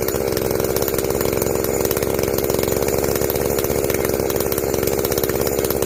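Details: Echo CS-590 chainsaw at full throttle after carb limiter removal and opened-up exhaust, high jet turned up a full turn plus low jet richened: crisp, even high-revving buzz, steady without bogging or surging; runs clean, not running hot.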